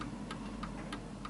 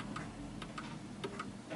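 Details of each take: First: 1940s Hermle (FHS) 8-day chiming pendulum clock on a purposely off-centre surface, after adjusting the beat to the pendulum swing: crisp, evenly spaced ticks about three per second, back to normal and in beat. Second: 1940s Hermle (FHS) 8-day German Art Deco chiming clock deliberately tilted on a wedge: uneven, struggling ticks fading as the pendulum loses swing and stops; clock out of beat, before calibration.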